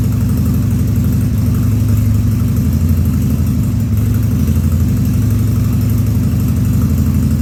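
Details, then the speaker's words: 2000 Harley-Davidson 1200 Sportster V-twin on its first start after a carburettor rebuild and leak repairs, no air cleaner: a deep, lumpy idle at about four pulses a second with uneven stumbles and coughs, running slightly lean. "So yeah, I don't have the air cleaner on it or anything. That's why you see it coughing a little bit, because it's actually running a little bit lean."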